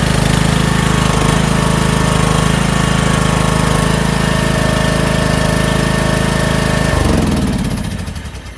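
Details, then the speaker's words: Toro Wheel Horse 1438HXL lawn tractor, repowered 17.5 hp engine, after trimming an inch off a lip: steady, even beat at speed with no scraping or rubbing, then winds down smoothly; works great, normal running. "Works great. I'm stoked."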